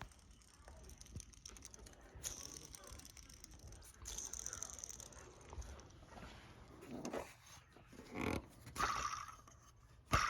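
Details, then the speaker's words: Hand-spun inner idler pulley on a 2001 Mustang Bullitt with Tork Tech supercharger kit, removed without taking off the pulley bridge; bad bearing gives a gritty, rasping whir instead of spinning quietly. "idlers and isolate which one of the pulleys it was or replace um there's three idlers I believe on the inner side so just had to do that so I went ahead and did that and I was able to get one of the idlers off and without taking off the pulley Bridge which I was excited about and here you can hear the bearings are bad"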